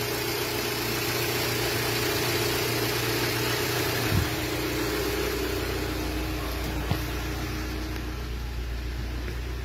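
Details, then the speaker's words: 2019 Renault Symbol 1.2 16v, 60,000 km, cold-start vibration complaint; after sitting about four hours cold, the engine settles into a steady, even idle with a smooth low hum, no shake or misfire, stable and healthy. "نوض هاكي بارده شحال عندها هي طافيه؟ ثلاث سوايع وحده تسعه تجي تسعه اربع سوايع هاي بارده الحمد لله هذه هي"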